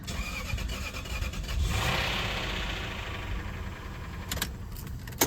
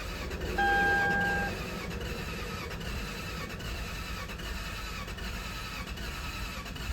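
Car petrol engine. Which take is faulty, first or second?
first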